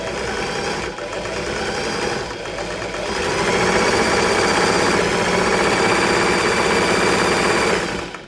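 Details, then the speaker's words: Singer 328P sewing machine after oiling vertical shaft top and bottom bearings, belt very worn: fast, even clatter about four beats a second, steady without hesitation or grinding; sounds better and strong, though not quiet. "I'll just give it a run, see what it sounds like. Yep, pretty sure it's sounding better. Though not the quietest machine around."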